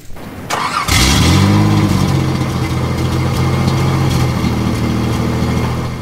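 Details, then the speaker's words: 1986 Nissan 300ZX Z31 with new bolt-on crush-bent exhaust, seafoam smoke: cranks, catches, then loud raspy puffing idle; exhaust leak further up, gasket suspected next fix. "Really obvious. There is still an exhaust leak somewhere further up in the system."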